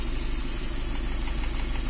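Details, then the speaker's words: Nissan Caravan Hiace van at idle, runs rough and uneven with a faint irregular ticking knock; low pickup and vibration, misfire with one cylinder likely not working, like a weak plug. Cause suspected, not confirmed. "Missing হচ্ছে, কোনো একটা cylinder হয়তো বা কাজ করতেছে না, এরকম।"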